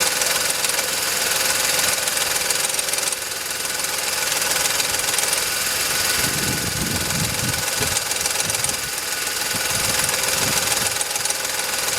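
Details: VW Polo 9N 1.2 12V, 198,000 km, at idle: steady metallic knock about three times a second that developed over time and is heard only at idle; the owner suspects the timing chain, unconfirmed.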